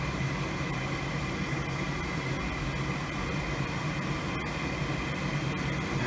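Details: Goodman gas furnace whose pilot lights but does not heat (flame sensor usually suspected), called for heat from a Nest thermostat: steady low whirr and smooth airflow rush with no rattle or scrape. The inducer fan starts up normally.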